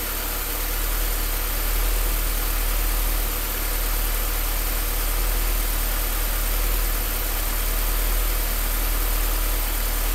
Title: Rough Idle